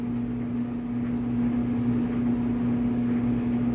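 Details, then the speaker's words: Clothes dryer in winter after the motor has warmed up: smooth, even motor hum with steady low tone and soft tumbling, no knocks or squeal. Much quieter than at cold start; quirk never affected performance, running fine. "i know right it's so much quieter once it warms up it's the weirdest thing i've never understood why it does it but it's never impacted performance in any way shape or form so it's running fine"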